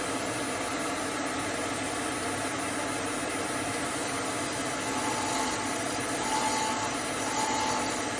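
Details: Hope Woodturning MK2 threading jig, router at 3000 rpm on the last passes cutting a thread in beech: even high whirring at steady speed, no chatter or bogging; normal thread cutting.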